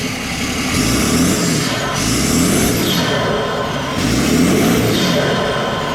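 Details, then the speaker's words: BMW 525d E39 M57 diesel after freeing seized turbo geometry lever for low boost: clatter with rising and falling turbo whistle as it spools; boost now building strongly, intercooler working, runs clean. "Là ça charge fort, mais vraiment fort. Le tuyau là il est déjà chaud."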